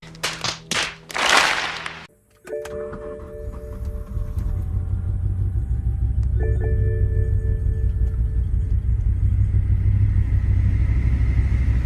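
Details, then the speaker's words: 2008 BMW M6 V10 six-speed manual barn find, first start: after a few clutch clunks the engine catches and idles with a slightly uneven stumbling beat, one cylinder misfiring; throwout bearing also suspected. "I can tell something's up with the throw bearing, but that's not too bad, but it does have a miss on one of the cylinders."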